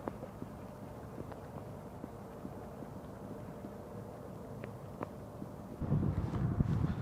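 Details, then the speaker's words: International 9400 truck with a ZF AS-Tronic gearbox, rebuilt 600 km earlier, runs but won't drive and shows SID58 fault: sharp irregular clicks of the gearbox shift air valves over a low steady diesel idle. "Ну я опять же когда машина запущена я слышу клапана отрабатываю хлоп хлоп хлоп-хлоп и вот это клапаной подо двигает его как бы туда дальше"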